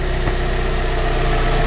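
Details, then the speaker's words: Fiat 500 after lower arm replacement, with new timing belt and clutch, blower turned off; steady, even low idle with a smooth unbroken beat and no knocks, ticks or whines; normal idle, ABS fault still unresolved. "as you can hear now i've turned off the the blower so you can hear the engine the runs lovely"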